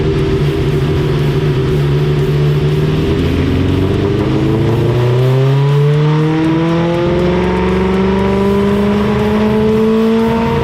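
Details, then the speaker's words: 1987 Suzuki GSX-R 1100 on the dyno after carburetor cleaning and tuning: engine climbs cleanly and evenly at full throttle under load with no stumble. This run was smooth where the previous run was choppy. "perfect technique yeah perfect yeah good did you hear how the last run was smooth it was good yeah good"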